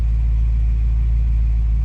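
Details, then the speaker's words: 1986 Oldsmobile Cutlass 442 (G-body) carbureted V8 after replacing the troublesome original Quadrajet with an eBay-rebuilt one; deep steady burble, even beat, no misses or surging; owner says idle is smooth, more responsive, transmission shifts firmer; normal idle. "The car runs completely different, it sounds different, it's more responsive. It's crazy to say, but the transmission shifts better, firmer. The idle is smooth."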